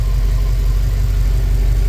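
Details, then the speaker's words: Ford BA Fairmont V8 after timing chain parts replaced, cold idle warming up: steady even rumble, no longer ticking or rubbing at idle as before; a separate knock later heard from further back, not the timing. "It's a lot better. I can't complain with that. It's not making the sound on idle."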